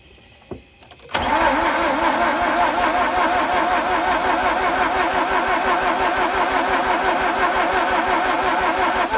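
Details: Mazda RX8, after spraying a stuck alternator pulley and jump-boosting the weak battery; fast even starter whir around three beats a second that never fires, cranking strongly but won't start, some smoke afterward; cause unconfirmed.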